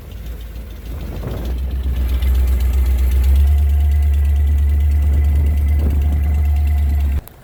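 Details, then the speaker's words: Power boat V-drive inboard engine idling on its water test, afloat, after running on land with a hose. Steady, even low rumble, nothing odd heard. No cooling water flowing through the engine; there is no thermostat, and the cause is unclear. "So we're just an update, guys. We're not getting any water going through the engine, right, Sam?"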